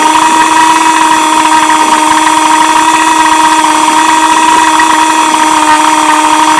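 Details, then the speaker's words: Vintage restored-then-repaired outboard, Monday start test; steady, even high-pitched two-stroke buzz with no misses or surging; 5-minute run done; running smoothly and healthy. "Watch your start right up. Just going to put it on start and motor runs perfect."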